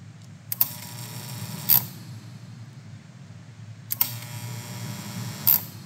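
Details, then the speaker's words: Jun-Air UltraQuiet compressor at power-up: sharp clicks and bursts about every three seconds over a low steady hum, not typical solenoid vibration; the auto purge solenoid is chattering abnormally, so it is disconnected for safety. "that's not typical solenoid vibrations there is something else going on there and for safety sakes let's go ahead and disconnect this guy"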